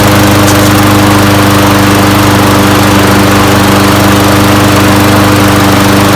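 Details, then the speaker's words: Toro Recycler 22-inch mower, Briggs & Stratton Quantum 190cc engine, after an oil change with SAE 10W-40: steady, even single-cylinder drone at constant speed with no misses, surging or knocks; running normally. "all right guys so that was the easy fix just changed the oil and runs perfectly and it's in really good condition too"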